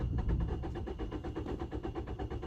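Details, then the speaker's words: 2012 Peugeot 208 1.4 VTi with a complaint of hard starting and stalling, no fault codes, first start in the workshop: steady rhythmic starter churning with uneven pulses and no catch, a long hard-start crank. "This is the first time I'm getting to this car, by the way, so let's gonna start this thing. Really tricky to start."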